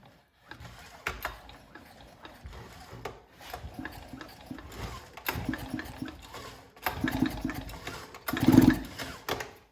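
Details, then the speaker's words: Nearly new Stihl MS261C-M V2 chainsaw, straight-gassed after one tank, refitted with an older V1 cylinder and piston, lubricant sprayed in the cylinder and pulled over slowly: even compression puffs on each stroke, no scraping or catching. Compression sounds good. "I'm going to spray some lubricant into the cylinder and then pull it over slowly."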